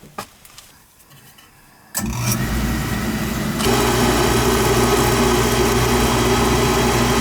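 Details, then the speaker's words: Oil burner started and run to flow oil into a bucket. Motor spins up, flame lights with a thump, then a steady even roar without pulsing or rumble: normal burner operation. "Yeah, this one here I could run it good and jump out FF once I get it started."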